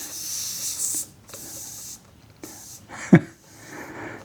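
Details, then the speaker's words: Oryx electric unicycle, tubeless off-road knobby tire at about 1,200 miles: short bursts of sharp, steady hissing as air escapes at full pressure where a thorn punctured the tread between the knobs; tire puncture air leak. "And can you hear the air? It's coming out nice pressure."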